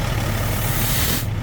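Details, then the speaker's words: Semi truck air dryer purging every two to three minutes, oily and likely debris-filled purge valve: a steady rushing hiss over the low idle continues after the purge instead of sealing quickly, then cuts off; purge valve not sealing. "So, after it purges the air, it should seal up pretty quickly. And as you can see on mine, it just keeps blowing a little bit of air out."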